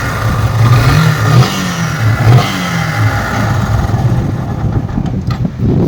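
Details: Yamaha FZ single-cylinder bike at about 1000 km after engine work (new bore, piston, rings), still making noise after repeated rebuilds; revving up and down with rough mechanical clatter over exhaust note; abnormal engine noise, cause not pinned down.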